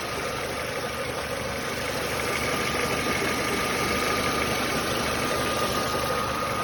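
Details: Nissan Almera G15 at warm idle: light, fairly even ticking knock about three per second, present only once the engine has warmed somewhat, absent fully cold; cause unknown.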